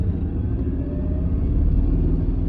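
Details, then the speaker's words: Mercedes C55 AMG with manual swap and stiffer Delrin shifter bushings: heavy constant low droning rumble in the cabin while driving, transmission and engine noise transmitted straight through; excessive drivetrain noise, cause unclear. "you get you can probably hear on camera how loud it's making the just overall drive train um transmission is like every noise from the transmission is just being brought straight up into the cabin"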